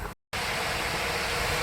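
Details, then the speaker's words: HP Envy 15-ep0008na (2020) laptop with RTX graphics: cooling fans kick in under heavy load while loading video editing software, a steady loud rushing hiss like a steam engine; loud cooling fan under load. "the fans just kicked in they are very loud [Applause] if you can hear them like a steam engine"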